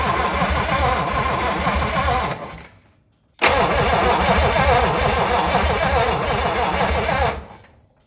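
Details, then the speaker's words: 1956 DeSoto Firedome sitting 24 years in a barn, with hardened old plug wires: two steady cranking bursts at about three and a half turns a second that never catch; no spark even after a new condenser, ignition coil being tested. "So, I have bought a new condenser. Um, we still don't have spark."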